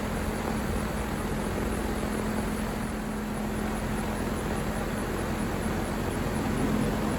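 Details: 2023 York AC outdoor condenser running in cooling mode after evaporator coil replacement cured earlier freeze-up; even fan rush over steady low compressor hum, no rattles, knocks or cycling, running normally.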